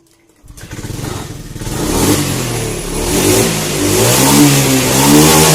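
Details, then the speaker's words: Honda Scoopy fuel-injected scooter revving cleanly from idle with a smooth climbing note after fixing hesitation on initial throttle: plugs, fuel pump, throttle body, idle screw, ECM reset, TPS adjustment. "scopy injeksi ini yang berebet ketiga digas awal nah sekarang aman ya tidak ada masalah"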